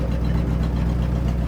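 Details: C60 Viking truck running after 40 years, clutch bled but brakes not: steady, even low rumble at idle with no knocks, misses or grinding; the old truck engine is running smoothly.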